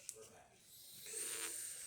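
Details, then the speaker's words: Refurbished single-boiler Rancilio espresso machine after full service and tune-up: steady high airy hiss from the steam wand once boiling, holding about a second; steam wand venting normally. "It's boiling now, so that works perfect."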